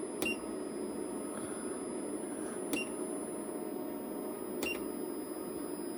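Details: PowMr 5.6 kW solar inverter whistles with steady, very high tones plus a faint click and chirp every couple of seconds; cause unknown, something to keep an eye on.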